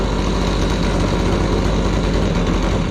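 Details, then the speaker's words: Gas-powered Razor dune buggy small two-stroke revved: heavy, burbly drone lacking crisp high revs; it used to dry rev to about 11.2, and the owner thinks it sounds like it's running rich. "Used to rev to like 11.2 dry, but it also sounds like it's running rich."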